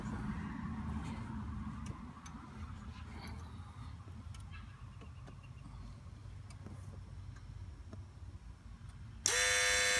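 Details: 2003 Volvo S60 2.5T AWD idling with a low rumble, cut near the end by a sudden loud, harsh electric-sounding buzz from low in the engine bay; a hose there vibrates with it, and the owner wonders about the coolant area. Cause unconfirmed.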